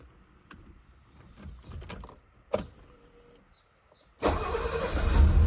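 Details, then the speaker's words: Mercedes W114 280 CE with long-standing starting and rough-running problems, now with electronic points: engine catches readily and settles into a loud running roar, though a misfire and a slight exhaust blow remain. "Starts okay. There is misfire. And the exhaust is blowing a little bit."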